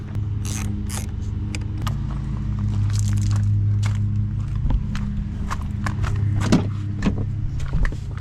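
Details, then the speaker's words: 2004 Ford Expedition, 260,000 miles, after a new O'Reilly Ultima starter was fitted: the engine catches and settles into a steady low hum with a few light clicks. It starts and idles normally, and the starter problem is fixed. "I think that was it. Yes. All right, we're gonna call this fixed."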